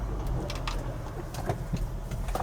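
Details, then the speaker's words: 2000 Lexus RX300 on a test drive after replacing an ignition coil for a misfire; check engine light out. Even, steady low engine hum with no stumble, birds audible. Runs smoothly, though idle stays low as a separate issue. "engine is running a lot smoother than it did there's no engine light"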